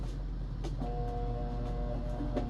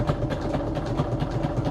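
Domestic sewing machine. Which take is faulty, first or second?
first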